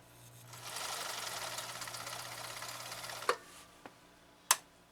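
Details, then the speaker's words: 1965 Husqvarna Viking 2000 sewing machine at full speed, stitch length about four, straight stitch through six layers of commercial-grade canvas: a fast even whirring stitch rhythm with no labouring; sews it like cotton. "the reality is it just sewed it like it was cotton and again this is six layers of commercial uh grade canvas"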